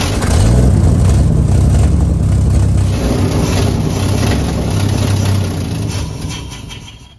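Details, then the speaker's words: 1952 Ford F1, 215 OHV inline six, long-stored, gravity fuel feed kinked off with fuel in bowl: chugs slowly and unevenly several seconds, then fades and dies; carburetor internally clogged suspected, needs deeper carb work. "just run for a second then guys there's got to be something up inside that thing it's probably my gravity feature"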